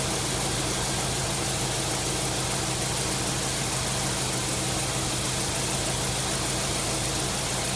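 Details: 1999 Subaru WRX GF8, EJ205 turbo flat-four, warm after a coolant flush, cap on and system under pressure, running until the fans cycle: steady, even idle with a smooth low rumble, no knocks or misses; normal warm idle.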